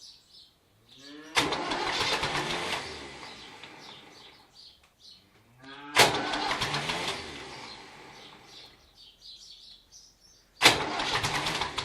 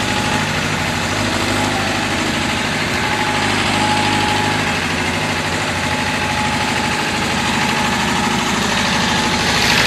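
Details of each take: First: David Brown tractor: three separate cranking bursts, each a couple of seconds of labouring starter churn that fades out without the engine catching; cranking but not starting. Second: David Brown diesel tractor, which had been hard to start (a flat battery was questioned, throttle linkage checked): steady, even diesel clatter at a settled idle with no misses or odd knocks; running normally.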